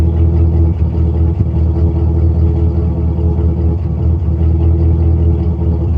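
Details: 1999 GMC Sierra 5.3 V8 with a random misfire code; smoke test found no leaks; new plugs, wires, fuel filter, EGR valve and tubes already fitted. Uneven, lumpy exhaust rumble with dropped pulses; the cause was one spark plug with microscopic cracks.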